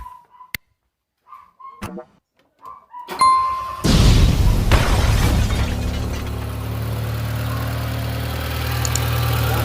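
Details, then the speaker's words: 1997 Fiat Palio 8v after water pump replacement: starter catches quickly, engine settles into steady even idle with no whine or rumble from pump area; old water pump noise gone, normal start. "Travou o barulho. Ele já era. Agora é só esperar esquentar ele para ver se vai ligar a ventoinha, para ver se vai ficar tudo em ordem. Mas acabou o barulho, é a bomba d'água."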